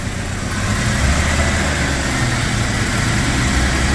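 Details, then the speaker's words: 1996 Jeep Cherokee after worn timing chain and harmonic balancer replaced: steady, even idle, low smooth rumble, no knocks or misses; sounds better than since bought, no full rebuild needed. "but it sounds way better so that was definitely the issue so won't have to do a full rebuild just a little timing chain but it sounds better than it sounded since I got it"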